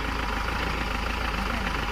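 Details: Mahindra Xylo diesel, after repair of a no-start and vibration fault: even, smooth idle with a steady low rumble and no misses or knocks; the vibration is gone.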